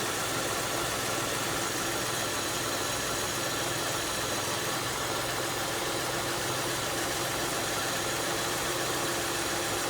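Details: 2002 Kia Sedona after replacing the power steering pump, belt and idler pulley: steady even idle, smooth hum, no knocking, squeal or whine; healthy.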